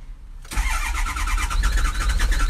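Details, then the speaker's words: 2007 diesel truck, 119,000 miles, codes for cylinders one, three, five and seven and camshaft correlation; quiet, then catches and runs rough and uneven, straining to settle; hard start, ICP reading suspected too high, wrong oil filter fitted. "okay so doesn't start worth the dam i mean yeah that's not good at all"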